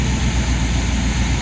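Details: Boat engine on a Luhrs 28 at smooth, even low idle with a steady beat, no misses or knocks, warming up just after a professionally rebuilt carburetor was fitted; fuel reaches filter, no carburetor spill-over; normal idle.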